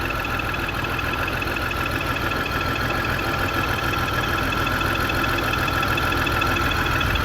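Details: 2002 BMW X5 3.0L AWD, new battery and spark plugs, multiple misfire: steady idle with uneven slightly lumpy beat under constant hiss; fuel pressure 44 PSI, owner suspects fuel pump; unconfirmed.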